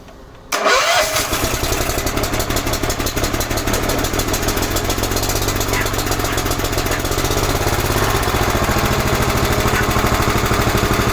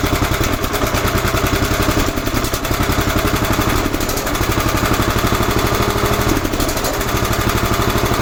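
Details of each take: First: 11 hp Honda engine on an Emglo air compressor, just after a carburetor and air cleaner box replacement. It restarts into a fast, steady chug with a slightly heavy, uneven note: running rich, getting too much fuel, so the side mixture screw needs tuning. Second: 11 hp Honda single on an Emglo air compressor, after a carburetor and air cleaner box replacement and mixture tuning. Even beat with no misses, holding speed while pumping the two long tanks: running clean under load.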